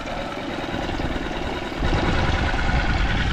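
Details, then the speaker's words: Small single-cylinder outboard, super quiet, warmed up, idling while gears are tested: low, fairly even putter near four beats a second, small load lift as a gear engages; normal idle. "Yeah, super quiet motor, single cylinder."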